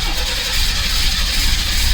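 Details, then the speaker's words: 1986 Pontiac Fiero GT, long-sitting, after new fuel filter; fuel pump heard priming: steady rhythmic cranking that never catches; crank no start, then checked for no fuel pressure. "on oh i want to start so bad it wants to so bad but there was something else wrong so next i went to check for fuel pressure"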